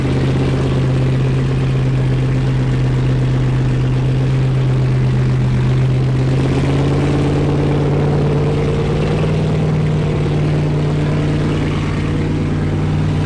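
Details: Wrecked C6 Corvette Z06 V8 with Texas Speed heads and cam, started after fixing cam timing that was out of time: loud, steady low idle with a slightly lumpy cam beat, holding evenly without stumbling. It finally runs, before idle airflow tuning in HP Tuners. Normal idle.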